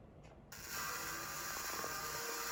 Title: Switch making weird noises lol